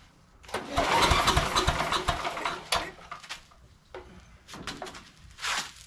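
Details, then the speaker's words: Sears Craftsman 9HP chipper/shredder, over 30 years old, after its carburetor was cleaned and reassembled. The fuel contained water and the fuel shutoff position was uncertain. Uneven cranking bursts never catch; the spark plug is dry, suggesting fuel starvation. A split plug boot was also found. "Spark plug's dry. I just don't know if we've gotten fuel going into it yet."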